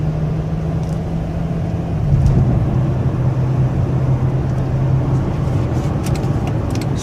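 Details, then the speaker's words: Chrysler 5.7L Hemi after new heads following dropped valve seat, fully warmed up after about 45 minutes, driving: smooth, even low note under road noise, no knocks or ticks, good pickup; normal running. "good pickup runs better than it ever has it's fully warmed up and running for about 45 minutes sounds real"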